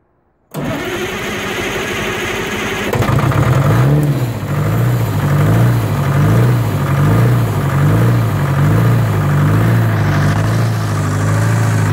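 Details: 1980 Michigan Clark 55B loader with a Detroit diesel, after full rewiring and first start from the cab switch on a 12.71 V battery: cranks briefly, catches at once and settles into a steady, even idle. Healthy start.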